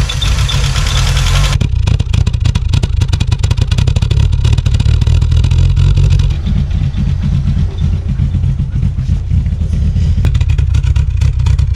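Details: 1986 VW Golf 2 with a 1.8 GX 90 hp engine, stood nearly five years: a loud, uneven low drone at idle that never settles, rough running from a vacuum air leak; the problem was later fixed.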